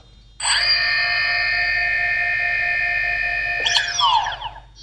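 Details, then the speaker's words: DJI Phantom 2 Vision powering off: steady electronic whine, then a click and uneven wavering fall in pitch, owner hears one motor jitter/stutter, which also stuttered at power-on. "I don't like when I turn off the Phantom I know I don't know if you see it but it's kind of Jitter"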